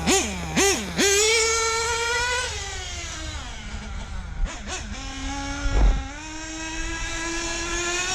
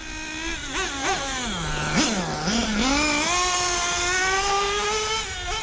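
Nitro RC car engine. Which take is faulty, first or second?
first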